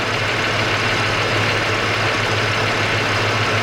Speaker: Sounds like valve train noise to me.